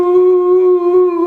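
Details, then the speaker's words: 2008 Volvo XC70 3.2 liter: steady high tea-kettle whistle from under the hood holding its pitch over the engine. "customer had been complaining for a while that this car sounded like a tea kettle"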